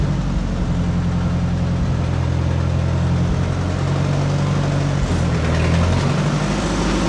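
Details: Oliver 550 tractor, engine fired right up before hydraulic pump replacement: catches and settles into a steady, even low idle with no knocks or misses; normal idle.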